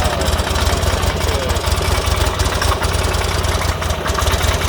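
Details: 2006 Buell Ulysses XB12X V-twin, 56,000 miles, idling: a loping, uneven pulse with a sharp knock on each beat, just after servicing fluids, filters, O2 sensor, intake seals, fuel pump and bearings.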